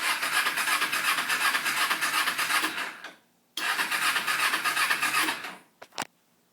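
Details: 2005 Kawasaki Ninja 250, battery fully charged, fuel in tank: two rough raspy cranking bursts about three seconds each, then silence; cranks but won't start; corrosion noted on positive battery terminal.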